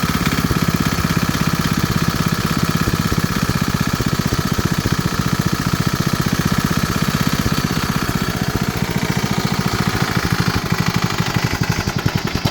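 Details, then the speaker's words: 1968 Massey Ferguson MF10, starter and engine issues: single-cylinder holds a steady, fast, even idle with a rough, rattly edge; owner says it doesn't sound right and leans toward overhauling the engine; cause unconfirmed. "Um I'm leaning on trying to overhaul that engine cuz it it doesn't sound right."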